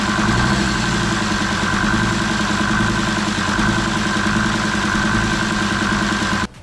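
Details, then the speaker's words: Jeep Grand Cherokee WJ 2.7 CRD (Mercedes OM612) diesel that runs but smokes heavily and misfires, at idle: steady, slightly uneven hammering knock over the clatter; suspected injector problem, unconfirmed; later ran better with less smoke after a 15-minute flush. "maybe I'm just used to it by now but yeah let me let me show you guys the knocking noises I'm hearing"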